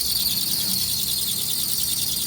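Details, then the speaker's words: 2005 Lexus ES330, started with the key and no jump. A thin, high chirping squeal pulses over the idle; the squeal is attributed to the power steering belt. "Got a power steering belt. Sounds like it is uh squealing a little bit."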